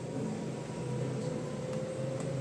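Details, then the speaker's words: LG front-load washing machine in self-test mode: drum motor running at medium speed after the low-speed step, a steady even mid-pitched hum with no knocks or scraping; normal. "இப்போ பார்த்தீங்கன்னா medium ஸ்பீடில் motor run ஆகுது."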